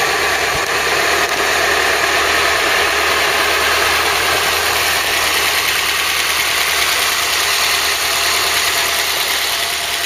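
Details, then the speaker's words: Ford Cortina Mk3 newly rebuilt 2.0 Pinto engine, Weber carb, first run with valve clearances on a first setting: steady even idle with light fast ticking; tappets are tapping a bit, clearances will probably be redone. "maybe a little bit happy perhaps but only our first take on the files will probably redoing clearances on those yes it is tap in a bit"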